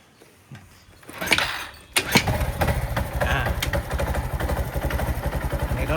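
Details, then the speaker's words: Honda Wave 110i automatic after a no-start fault with no spark (brake switch circuit needed for ignition at start); with brake circuit bridged the single-cylinder engine cranks briefly, then settles into a normal steady idle. "ก็ติดปกตินะครับถ้ารถติดเครื่องแล้วนะครับเราทำการดึงไฟเบรกออกมันก็จะติดปกตินะครับ"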